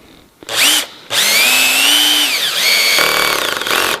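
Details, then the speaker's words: Cordless drill driving a screw into timber with clutch set to 4: motor whine climbs as the screw bites, then the clutch ratchets and slips in rapid clicks, leaving the screw just proud of the surface; clutch setting too low. "the clutch has disengaged the drive shaft and the screw is just proud of the surface"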